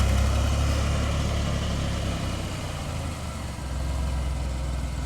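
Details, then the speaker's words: Vintage flat fender Jeep with Sniper 2 EFI and a new vented, baffled tank with in-tank pump and return line, started after priming: catches and settles into a steady, even low idle with no stumbles or knocks; normal idle. "real happy with this yeah only thing left to do is test it"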